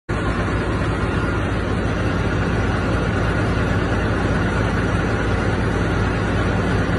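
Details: Diesel engine in runaway: loud, steady high-speed roar that keeps running even with the ignition key off; remedy is blocking the air intake.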